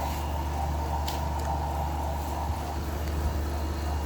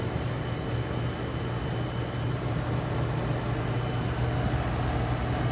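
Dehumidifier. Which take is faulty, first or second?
first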